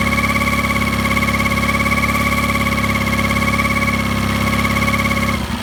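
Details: Mercury 9.9 Pro Kicker outboard at low rpm making a constant mid-pitched hum over the engine beat, what sounds like a bearing noise; cause not identified.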